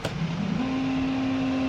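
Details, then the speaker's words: Symphony air cooler water pump after rewiring with 2 rotary switches, switched on: soft hum rises and settles within a second into a steady even low tone, no rattle or grind; normal pump running. "तो pump चालू हो चुका है, और अब चलाते हैं auto swing motor को।"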